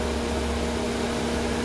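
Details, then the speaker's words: 2007 Mercedes cooling fan stuck on high with no fan request, control signal about 6.5 volts: steady, loud rushing hum with constant drone and no change in speed; cooling fan running constantly on high. "right around 6 and 1/2 volts that's putting the fan on high as I'm sure you can hear by it blur blaring away over there"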